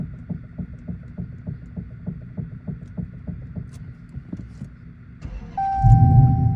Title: Steering knocking noise dodge challenger charger Chrysler 300